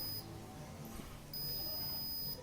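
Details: Arduino drip-irrigation model with a soil humidity sensor in a model plant, with soil humidity reading 18%, so water starts flowing to the drip hose: a short high beep, then a steady one-second high-pitched tone over room quiet; low soil humidity alarm sounding.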